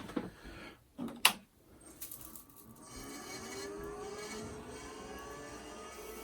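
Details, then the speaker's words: IBM PS/2 Model 25, 20 MB hard disk at main power-on: a few clicks then rising spin-up whine with rough scraping edge; owner unsure whether heads scratch platters or worn bearings with dried grease; grinding noise at power-on. "it often makes me wonder if that noise are the heads scratching against the platters or is it just the ball bearings that have worn to the point you know dried up grease"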